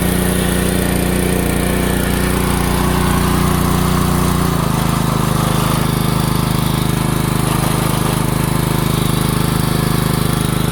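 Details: DeWalt 3200 psi pressure washer, Honda GX200, after carburetor cleaning for starting then dying after a year's sitting, outdoors with water hose: strong steady single-cylinder beat, smoother lower note as choke comes off; runs evenly.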